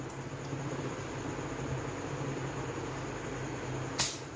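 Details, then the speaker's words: 12 V DC BLDC compressor run from a 12 V controller, started by bridging thermostat wires T and C, outlet held blocked to build pressure: even, steady low hum with faint high tone, no knocking or rattling; normal compressor running. "जैसे कि आप इसकी आवाज़ सुन सकते हैं कि ये काफ़ी ज़्यादा प्रेशर बना रहा है। तो ये काफ़ी अच्छी क्वालिटी का कंप्रेसर है।"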